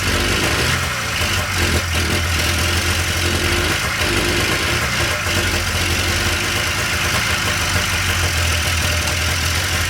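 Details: 1997 Polaris Indy Classic two-stroke barn-find snowmobile on new hoses and fresh, thickly oil-mixed gas, holding a steady, even burble at idle with no knocking or hunting; running normally.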